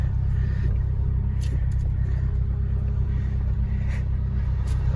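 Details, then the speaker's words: Acura (Honda) stationary at idle after a power steering fluid flush with genuine Honda fluid, wheel turned left and right. Steady engine rumble with the pump whine gone or very subtle; turning is smooth. Quiet power steering pump. "and hopefully the whining is gonna stop as you can hear there is no more whining or very subtle especially when I'm turning the wheel left when I'm turning it right goes pretty smooth you hear it it's very nice"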